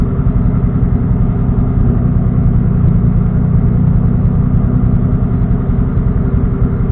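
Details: Engine on a standalone ECU, idle fuel cell raised from 57 to 58 in TunerStudio after a lean backfire, warming toward operating temperature: deep, even rumble at steady idle, no misses, pops or hunting; clean idle.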